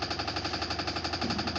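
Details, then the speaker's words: Samsung washing machine during spin: fast, even banging about eleven times a second as the drum vibrates and knocks. "तो जैसे कि आप देख रहे हैं ये वॉशिंग मशीन है, तो ये इसका ड्रम किस तरह से वाइब्रेशन कर रहा है।"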